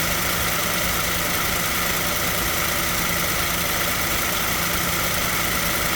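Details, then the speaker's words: 2007 Toyota Tacoma engine at idle with the AC compressor clutch disengaged: even, steady idle with no clutch chatter or extra whir, running smoothly, in an on/off compressor cycling check. "okay I went inside and turn it on and now I think it's a spinning so I'm going to go inside and turn it off and see what happen see the compressor right there this is spinning"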